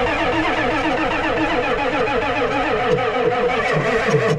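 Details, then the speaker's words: Ford 7.3 IDI diesel revival; starter churns in regular strokes that drag and slow toward the end without firing; weak cranking, unsure whether starter or battery is giving up. "is that the starter giv up or is that the battery"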